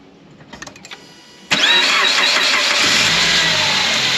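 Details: 2006 Suzuki Grand Vitara, 2.0-liter petrol automatic, 230,000 km; after repair of a scraping noise (timing chain suspected, PK belt and pulley work done), brief crank then a steady, even idle with no rattle or tapping; noise gone.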